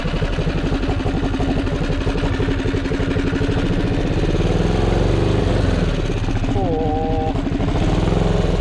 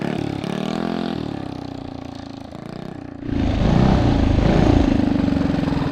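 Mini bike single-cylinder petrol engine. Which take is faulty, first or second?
first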